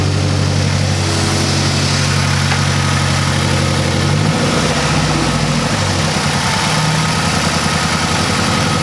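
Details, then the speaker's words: 2006 Mazdaspeed 6 at startup, recorded from behind the car then the engine bay: lumpy, uneven idle with the beat stumbling and pitch wavering, engine visibly shaking and reeking of fuel; a bad misfire at idle, cause not yet confirmed. "I don't know if you can tell there, but there's like a misfire, like a pretty bad one. Yeah, even the engine was doing one of these jobs. Like the whole thing was shaking a little bit."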